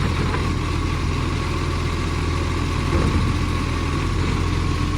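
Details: Garbage truck SL01074 idling: a loud, steady diesel rumble with a raspy, hissy edge from a bad exhaust leak.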